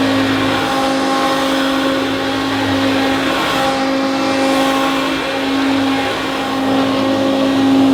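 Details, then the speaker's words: Hoover Turbopower U2784 Boost Autoflex vacuum, before motor replacement: harsh, loud steady whine with a rough, wavering hum underneath; worn motor, replaced with a new one. "it just needed a little a little bit of buffing up and cleaning and finessing so it looks fantastic but it sounds absolutely horrendous"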